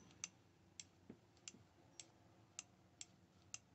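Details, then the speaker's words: Masterclip Hunter horse clippers that would not turn on because the PCB had shifted slightly, possibly from a drop. After reassembly the switch gives crisp, clean clicks about twice a second and sounds like it is working. Normal switch click. "hopefully that's all it was is that circuit board have move slightly but have been dropped that's common but that to me sounds like it's working"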